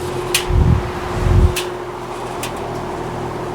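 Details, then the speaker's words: Vintage Westinghouse MobileAire stand fan running with a steady hum and a low buzzy rattle that stops, leaving a smoother sound; fan rattle from the grill. "I think you stopped the rattling. That's why it sound like slowing down. My god. I might have to take the grill back off and fix that. That annoys me."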